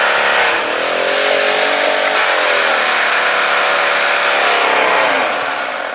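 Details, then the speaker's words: Pressure washer small petrol engine: harsh, loud buzz at high speed that sags slightly then recovers; owner suspects low oil, pump doubtful, and a cylinder head bolt stripped out. "son are really loud huh it almost seems like it's not it doesn't have enough Earl you know"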